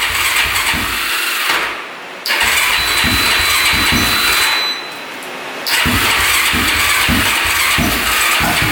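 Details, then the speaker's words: Stock Honda ATV on a jumper from a dead battery with choke pulled out: fires only on choke, revs in ragged surges, sags twice and won't hold a steady idle; very hard starting and rough. "it definitely needs to choke out to even be close to starting so it's really really hard starting and um yeah it's not sounding the greatest"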